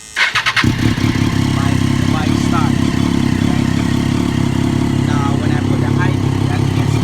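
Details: Triumph Daytona 675 after replacing the blown high-beam bulb and fuse (a blown headlight keeps it from starting): starter whirs briefly, engine catches at once and settles into a steady, even idle with no misses or knocks; healthy start.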